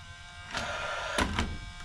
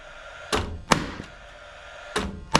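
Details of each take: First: Paslode 16-gauge lithium-ion finish nailer that won't fire, fuel cartridge past its April 2023 date: steady fan whir with sharp spark snaps at each trigger pull but no firing; spark is fine, so a bad or faulty fuel cell is suspected. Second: Paslode cordless lithium-ion 16-gauge finish nailer after replacing expired trim fuel cell: three clean pairs of sharp cracks, each shot preceded by the fan whir, every trigger pull firing; normal firing.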